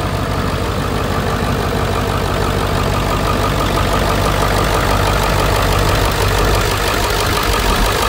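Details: 2001 Ford F250 7.3 Powerstroke diesel, after alternator replacement following battery issues: steady diesel idle with even clatter at constant speed, no misses or stray knocks; engine running normally.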